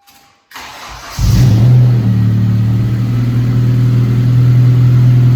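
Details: Honda Civic Si with idle problems: cranks, catches, then a lumpy, uneven idle rumble that never smooths out; sounds like misfiring, cause suspected, not confirmed.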